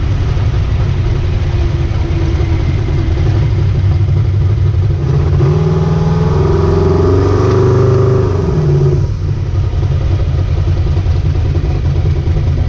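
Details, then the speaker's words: Ricky's 750 blow-through carburetor on a V8, rejetted with 75 primary and 86 secondary jets and a 6.5 power valve, no pump shot, under test: a steady idle, then a smooth rev blip settling cleanly back with no stumble or miss; best it has run so far, normal running. "All right, just tested Ricky's carb, and that's the best it's done so far."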